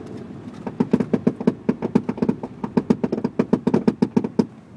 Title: Touareg gear box rattling noise